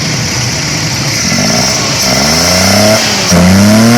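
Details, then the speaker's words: Car after DIY fix of engine missing/misfire; clean, even revs climbing and settling with no stumbles or popping, now running smoothly, normal revving. "माशाल्लाह एकदम ओके हो गई गाड़ी।"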